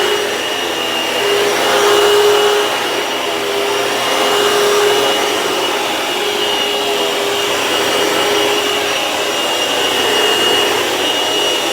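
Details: Vacuum cleaner, plugged in before a belt replacement: smooth, steady motor whine with an even brush hum and no slapping or squeal; running normally.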